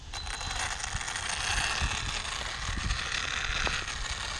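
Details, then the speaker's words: Arrma Kraton electric RC truck on 4S with dBoots Backflip tires: whirring under light throttle with irregular scraping ticks and rattles; front driveshaft diff output grub screw backed out and slipping on main input shaft, fixed by heating and reinstalling. "it sounds like something is something is rubbing yep I think so too I know it gets real it might be nicking at the shaft it's hard to tell"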